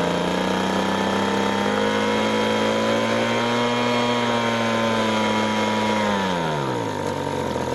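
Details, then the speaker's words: Ryobi RBV26G 26 cc two-stroke leaf blower, carburetor ultrasonically cleaned and spark checked at 0.8 mm. At full throttle the high mixture screw is adjusted: a steady high wail whose pitch climbs and settles at peak; the mixture is set right. "So that is about as good as that will ever get. So you could hear the change in tone as it's trying to adjust the mixture."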